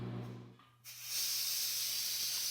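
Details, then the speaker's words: Propane transfer from a 20 lb tank into a 1 lb steel cylinder: valve opened, a pause, then a steady sharp hiss of gas through the adapter. This is normal while the cylinder fills and stops once it is full. "go ahead now and open up the valve you will hear some hissing that is normal so what's going to happen is once it gets to the point where it's filled it's going to stop hissing"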